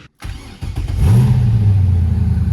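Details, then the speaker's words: Lamborghini Murcielago start after melted spark plug wires and heat shields replaced and new exhaust fitted: short crank, catches instantly, settles to a smooth idle, much quieter without the old drone, no misfire. "that is much quieter. Yes. The drone before was just over the top."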